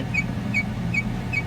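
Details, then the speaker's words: 2005 Chevrolet Silverado 1500, heard at driver-side rear wheel: rhythmic high chirp about every 0.4 s over low rumble, speeding up with speed to about 30 mph; universal joint suspected, no noticeable play yet. "as you can hear the noise is doing the same thing over here that it was on the passenger side and it sounds like it's coming from the middle of the truck which it's kind of telling me that it's a universal joint"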